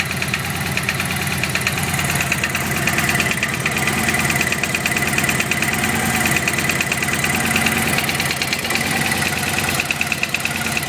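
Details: Vega engine idling with a loud, sharp, rapid ticking knock about three per second over a steady idle; cause unknown.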